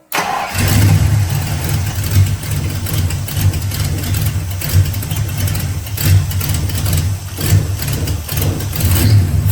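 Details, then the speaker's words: Mustang with a rebuilt carburetor after throttle-response and detonation issues, fuel lines tightened: it cranks and catches, then idles lumpy with uneven surges and dips, running rough and hit or miss. "It seemed to be running better, but it also was still just kind of like a hit or miss type deal."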